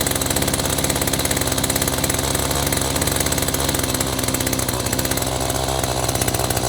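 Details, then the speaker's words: Echo two-stroke string trimmer with aftermarket replacement carburetor, choke off after starting: fast steady buzz far above normal idle, spinning the trimmer head; idle speed set too high, no obvious adjustment found. "now joke is off okay we got to slow down a bit cu the head spinning"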